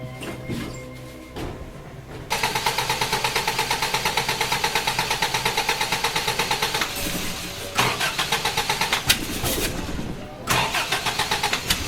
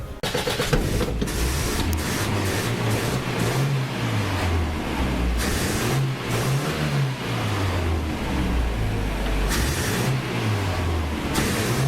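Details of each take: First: Toyota Hilux with electronic ignition instead of points, restarted right after idling fine: starter spins evenly about three beats a second but never fires; crank no start, owner suspects lost switched 12 V feed to the ignition coil. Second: Toyota Hilux with electronic ignition instead of points, ballast resistor not in the coil circuit, just restarted after work: idles on its own with a low steady rumble and slight slow rise and fall, no stalling; normal idle.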